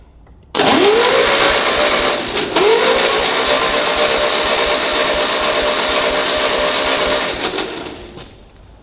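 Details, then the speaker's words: Ferguson TEA20 tractor, compression test during restoration: starter spins up fast and evenly with no labouring; tester reads nothing on these cylinders, only one, likely the firing one, has compression. "as for these, absolutely nothing. Not even a deflection on the needle. That's not very good, is it?"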